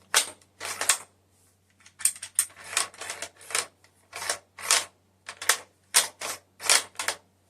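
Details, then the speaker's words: Kar98k Mauser rifle bolt worked back and forth; uneven metallic clacks and gritty scrapes; action a little rough; trigger has take-up but decent. "that is a little rough now the trigger that's how much take up it has but it's a decent trigger"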